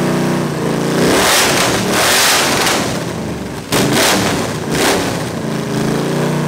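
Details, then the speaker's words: 361 Mopar big block V8 on a homemade run stand at first start, revved in bursts by hand and dropping to a low uneven run; won't hold idle, no accelerator pump, float bowl leaking, carburetor needs work. "it sounds good but obviously it won't idle and I've got no accelerator pump really so and we got a leak here we got a nice nice leak out of the bowl so carburetor is going to need a lot of work"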